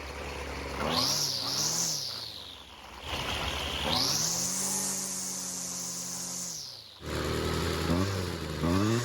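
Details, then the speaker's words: High-runtime, previously worked-on Husqvarna two-stroke trimmer that wouldn't stay running, not a cold start, after L screw turned a quarter turn counterclockwise for more fuel; buzz climbs and falls with throttle and keeps running between blips; idle screw still needs attention. "So, it looks like adding a bit of extra fuel really helped out."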